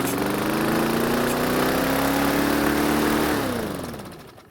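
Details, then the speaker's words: Free, previously non-starting Bolens walk-behind mower after cleanup: engine screams at a high, climbing pitch well past normal speed, then winds down; the throttle lever was locked in place to rev higher than normal, causing dangerous over-revving. "well that was kind of dangerous after getting it started the engine over revved now on this engine it does have a throttle lever and it looks like someone locked it in place to rev higher than normal"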